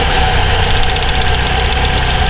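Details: Pontiac Solstice at idle: a quick, light tick rides on top and keeps time with the engine; a top-end tick of unconfirmed cause.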